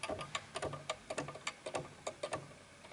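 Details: Antique 1920s 8-day Napoleon hat mantel clock: uneven tick-tock at roughly a hundred beats a minute, gaps between ticks noticeably unequal as the case is pushed far to one side on a slanted surface; the clock is out of beat.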